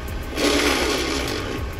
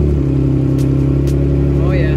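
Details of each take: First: FJ Cruiser manual transmission, reinstalled, forward gears fine: harsh rasping grind over the engine rumble as the clutch is slowly let out in reverse; transmission to be pulled for rebuild or used replacement. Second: 2007 Toyota FJ Cruiser manual that previously ground badly engaging reverse, retested after repair with no exhaust fitted: steady low engine drone as reverse engages on slow clutch release, no grinding, clean engagement.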